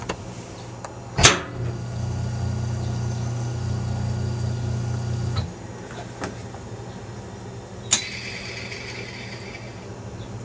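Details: Maytag E2L wringer washer motor tested after fitting a new cord (temporary wire-nut connections): clunk at switch-on, then about four seconds of steady low even hum before stopping; motor runs smoothly.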